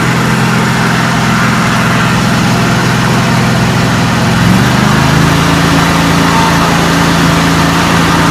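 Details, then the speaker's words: 1989 John Deere 285, Kawasaki FD590V V-twin, after new NGK BMR6A spark plugs, caps and ignition coils: strong even running, no misses, settling to slightly higher steady speed; normal start and idle, huge improvement. "Wow, what a difference. Huge difference. I didn't realize how bad she was."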